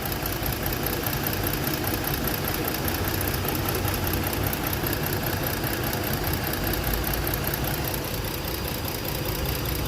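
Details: A Ford petrol engine idles unevenly with one cylinder not firing. The ignition coil was replaced and swapped but the misfire stayed on that cylinder; no power source reached that coil's primary.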